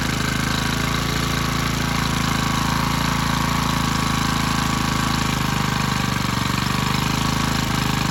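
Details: Generac CW15K gasoline water pump engine whose throttle rod is too long for the carburetor: small engine screaming flat out at a steady high pitch with a hard rapid buzz far above idle; overrevving from the misadjusted throttle linkage.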